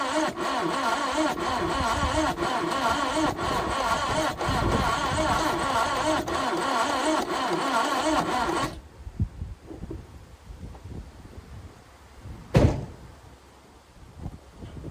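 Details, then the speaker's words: Carburetted 1988 Subaru Brat/Brumby cranked after the distributor cap was cleaned: a light, even churn at about four beats a second for nine seconds that never catches. The owner suspects low compression; testing later confirmed it. "It's definitely not happy. I'm starting to seriously think we're down on compression here, but I don't have my compression tester with me."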